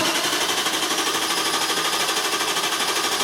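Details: 2002 Infiniti Q45 4.5 L coil-over-plug engine: even starter cranking at about three beats a second that never fires. Crank, no start, no spark, code P0335, traced to a failed crankshaft position sensor; the fix is replacing the sensor.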